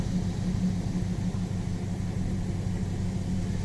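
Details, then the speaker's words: 2018 Chevy Silverado 6.2 V8 at idle: low, deep idle with a slightly uneven, stumbling beat from a cylinder one misfire, with no other abnormal engine noise. "So we have cylinder one cylinder one is misfiring. See that?"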